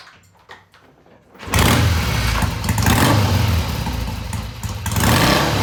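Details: 1971 Triumph T120 650cc twin after pilot mixture screws tweaked about an eighth turn: fires up and blips cleanly off idle, revving smoothly through mid-range with no hesitation; carburetion healthy.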